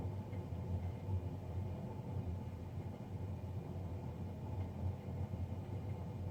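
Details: Navien NCB-240 boiler, serviced Jan 31 2020 and recorded Feb 3 2020: steady low drone and rumble with no clear tone or knock; combustion fan running louder than it should.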